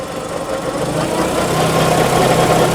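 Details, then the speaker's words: FC car with full, correctly serviced manual transmission oil: a low uneven rumble and clang-clang clatter heard from underneath, swelling with a little gas. The transmission is to be dropped. "so that's the noise that he's talking about that clang-clang are you hear it you hear it"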